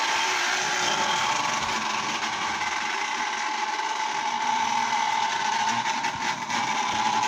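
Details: Lionel Tie Jector toy train motor, reassembled with its brushes back in and the body refitted. It gives an even, steady high whir with a light rattle and no catching or stalling, so it is running normally.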